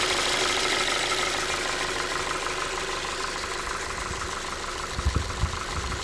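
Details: Ford 2.5 engine at steady idle: a light ticking knock about three per second with uneven spacing. The cause is suspected but not confirmed.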